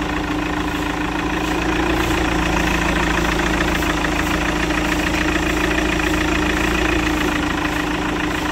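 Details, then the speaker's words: Chevrolet Captiva diesel at cold morning start: diesel clatter with idle rpm swelling and sagging, smoothing after about 5 minutes; unstable cold idle, suspected fuel-system fault (DTC P0089 fuel pressure), also engine light, 2000 rpm limit, low power, smoke. "jadi kalau dia nyala pertama itu mesinnya terdengar ngayun rpmnya turun naik Nah nanti baru setelah nyala sekitar 5 menit nah nanti mesinnya akan perlahan rata dan semakin halus"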